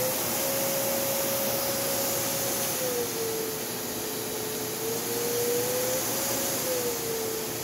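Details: Secondhand canister vacuum with handle suction control and a loose nozzle joint, given away working: a smooth, steady motor whine that dips slightly as airflow changes, no rattles or grinding. It runs fine.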